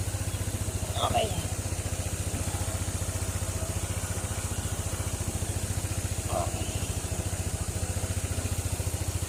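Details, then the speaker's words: Honda ADV 160 scooter after hard-start repair: previous shop couldn't fix it despite heavy cost; idle was hunting, then reprogrammed. Now starts on one click; quiet, regular putter about 3.5 beats per second, smooth and steady; normal idle before test drive. "Start. Ayan, one click na lang siya. Ah, te-test drive na lang."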